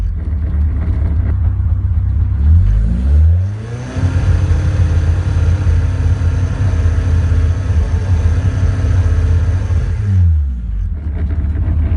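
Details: 182 OMEX, revving from idle, holding high revs, then dropping back: run sounds slightly uneven under revving, engine misfire.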